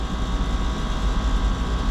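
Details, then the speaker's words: Johnson Controls water-cooled heat pump on a cooling tower loop, serving a hot switchgear room, cooling after a lockout: even compressor hum with steady airflow hiss, no knocks. Pressures and temperatures good, room down 6°. Lockout cause unknown. "it's been a little while and honestly these pressures and temperatures look good room already came down 6°"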